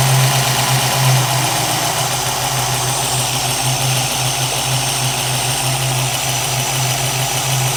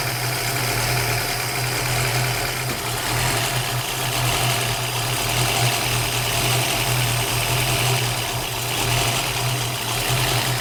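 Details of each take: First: 1965 Ford Mustang 289 V8 idling after installing new Holley 650 vacuum secondary carburetor and adjusting float height, before warm-up and idle mixture setting: even, steady smooth drone, no hiss or stumble; steady vacuum, no vacuum leak. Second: 1965 Ford Mustang 289 V8, warm idle with Summit Racing M2008 carburetor before replacement: idle rises and sags slowly, roughly once a second, tach never settling; surge from vacuum leak at the carburetor's leaky throttle shaft.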